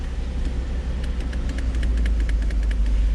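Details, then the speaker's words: Old Mercedes (called a 300SL) revived after sitting nine years, idling on its own: steady, even idle with a deep rumble and light, regular valvetrain ticking on top; runs smoothly and sounds healthy. "Yeah, there's all the extra pieces, parts, and parts, and God knows whatever else, but it's idling on its own. It's actually sounding pretty healthy, so I'm impressed with that."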